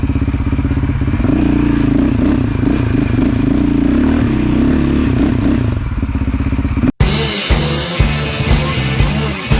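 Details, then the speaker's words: 2008 Yamaha Raptor 700 single-cylinder after head gasket replacement (suspected blown gasket had blown the coolant reservoir cap over half throttle). Steady even thumping under riding load, no misfire; running good, cap not blown off yet. "all right so i ended up getting the bike back together and it's running good hasn't blown the cap off yet"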